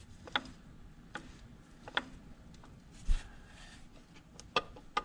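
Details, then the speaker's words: 1929 Model A Ford banger engine rebuild, engine rolled slowly by hand: sharp uneven clacks about once a second, first thought loose number one and four rod caps; actually timing gear broken loose from camshaft hub; timing gear knock. "I kept hearing that noise and I actually thought it was because I had the cap on number one rod and the cap on number four Rod loose but actually it was this timing gear that I'm actually hearing"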